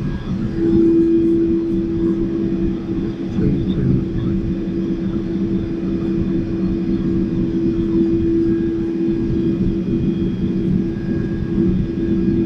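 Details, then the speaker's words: Shinko steam turbine-generator raised to rated 1800 RPM after a 1530 RPM soak, spinning unloaded and not yet producing electricity, inside its enclosure; constant, steady mid-pitched hum with no rubbing or surging; running smoothly at speed. "Okay, so we're up to rated speed for the generator. So the generator is spinning right now, but we're not producing any electricity because we haven't turned o"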